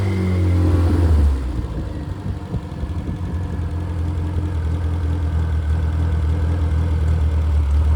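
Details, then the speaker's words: Rebuilt Triumph Spitfire/MG Midget 1500 four-cylinder with shaved head, flat pistons, 270 cam, enlarged intake valves and aluminium flywheel, 190 psi compression: brief rev, then a settled, even idle with a smooth low beat and no knocks or ticks; healthy. "So, I'm going to run it and uh let him hear it run and uh we'll we'll rev it up to uh get the RPMs up a little bit and let you listen to it."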